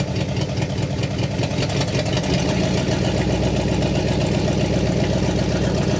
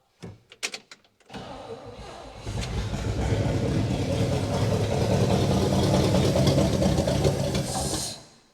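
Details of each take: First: 1960 Pontiac Catalina 389 V8 sat since 1985, now fed from a boat tank via electric fuel pump: steady, even V8 idle, smooth low beat, no misses or knocks, no fuel leaks, exhaust sounds good; dwell still far off. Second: 1960 Pontiac Catalina 389 V8 sat since 1985, carb bowl filled and primed with accelerator-pump squirts: clicks cranking, catches and runs rough about five seconds then dies; won't run on its stock fuel system, boat tank planned.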